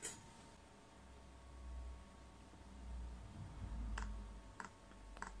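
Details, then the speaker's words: Chinese air heater on a workshop bench, LCD controller, first-run start-up sequence: light sharp dosing pump ticks about every 0.6 s over low fan hum, then a roar as the flame tube fires and the pump speeds up; normal start, hot air output. "you can just hear that pump now yeah now you might have heard a little bit of a raw looks like the flame tubers firing up and a pump speeding up as well"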